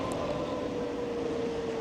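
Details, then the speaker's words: Lexmoto Cypher test ride after repairs at about 28 mph, visor up: clean steady motor whine sliding lower as the bike slows and rising as it speeds up, light wind noise; normal motor whine. "and obviously the motor whine as it comes down and then the whine of the motor as it goes back up so all good"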